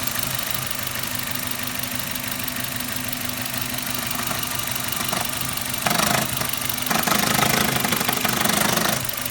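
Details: Suzuki Ignis M13A engine at idle: fast, even tapping of about three and a half knocks a second above the engine hum; knock of unknown origin.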